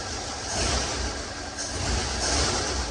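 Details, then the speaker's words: Flathead Ford V8 fitted with HEI-style electronic distributor, part 9705K; catches straight away, settles into steady even run with no misfire or popping; normal running. "That was too easy. I'll be Hey, it worked. I believe it cranks faster off AGI."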